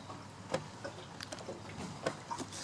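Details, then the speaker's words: Raised rear wheel of a 2013–2018 Kawasaki Ninja ZX-6R turned by hand, bearing at 40,000 km; irregular dry clicks and rough knocks from a collapsed or nearly collapsed wheel bearing that came out mangled and shifted the axle. "and it needs to be replaced this is how collapsed bearing or nearly collapsing bearing sounds like"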